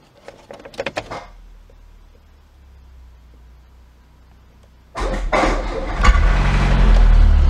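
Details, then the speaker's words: Citroën BX 16 GTi abandoned in a forest 7 years after hydraulic pump failure, battery just fixed, first start attempt: a few cranking clicks, then it catches first try and roars briefly but dies without throttle held. "It started for a while first try... OMG, I was totally not ready for that so I wasn't ready to pull the gas pedal let's try again"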